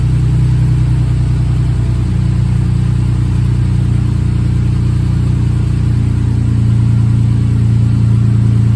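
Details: Rebuilt bored-over 3.9L V6 in a Jeep JK, warming toward operating temperature: steady low hum with an even, unbroken note, no knocks or ticks; smooth and healthy.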